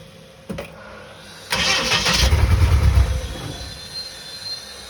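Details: Bedford CF: short bursts of starter churning, a couple of seconds of uneven cranking that never catches. The engine turns over but won't start.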